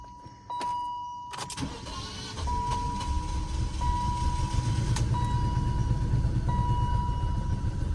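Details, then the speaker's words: 2002 BMW 530i E39, just restarted after PCV system and coolant hose replacement: it cranks, catches and settles into a lumpy, uneven low rumble with a steady chime above; it runs rough at first. "Oh. Kind of runs like buns. I'll give it a second though."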